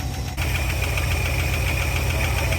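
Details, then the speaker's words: 1960 Chrysler Saratoga running for the first time in 39 years since a crash, started by hitting the starter solenoid: a steady low idle with a light, quick, even ticking on top; a lifter tick. "yeah she's a little Ticky though yeah it's only been 39 years since it crashed and stop running that ain't bad"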